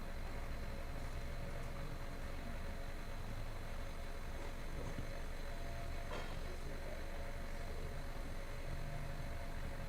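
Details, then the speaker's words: Hyundai Sonata with a bad catalytic converter, running with the exhaust open: loud, deep, steady unmuffled rumble; the engine runs evenly and freely with no stumble or misfire. "[Music] that sounds awesome listen to that feast"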